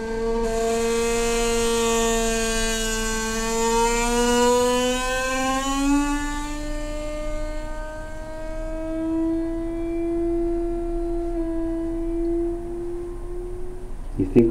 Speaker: so check this out as the fill completes itself here it's coming up shortly everybody buckle in down get ready for blast-off here we go you just about be two one blast off